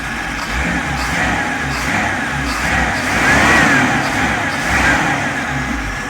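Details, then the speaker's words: 1952 Willys MB3 four-cylinder after replacing a snapped rear pinion shaft with a six-cylinder pinion: even low rumble with a couple of gentle throttle blips; running smooth and healthy as always. "okay she's all back together uh she's running running good yeah sounds like sounds like super bur like like she always"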